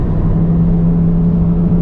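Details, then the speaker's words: Nissan S13 240SX driving after installing coilovers; steady low drone at one pitch under road rumble while cruising, from a worn wheel bearing not yet replaced. "i don't know if you can hear the humming coming from the wheel bearing like i told you guys i wasn't able to replace the wheel bearing because of the uh the nut"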